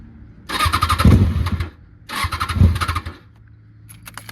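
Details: Kawasaki ZX6R after a new fuel pump, cleaned air intake, new spark plugs, fresh gas and injector cleaner: two short bursts of quick starter churning, and the engine never catches; cranks but won't start.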